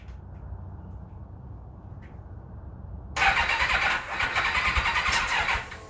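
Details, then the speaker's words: 1991 Kawasaki ZXR750 turbo build, starting attempt with a newly fitted battery: about 2.5 seconds of uneven, lurching cranking kicking back on the starter, no start, still no better; owner suspects crank-trigger interference or plugs, unconfirmed. "no still no better so we have to dig a bit deeper"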